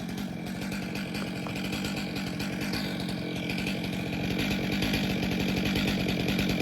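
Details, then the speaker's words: Stihl MS462 chainsaw after service and auto-calibration, making a test cut: strong, steady high-pitched scream without bogging or surging; healthy cutting. "So we'll make a quick cut with it. Hopefully it changed decent. I didn't even look."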